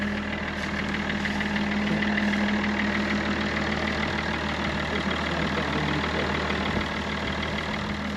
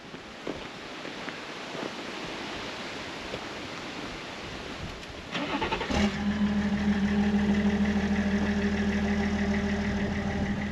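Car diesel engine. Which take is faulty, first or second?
second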